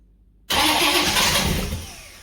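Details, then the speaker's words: Holden 308 V8, first start after a full stock rebuild with cylinders resleeved to 101.6 mm and a Crow 282°-duration cam, fuel poured into the carburetor. The starter spins it with rough fluttering and a few weak puffs. Cranks but never catches. "Fire straight away, eh? It didn't fire, it sort of fluttered, but Yeah, no, hang on a I second."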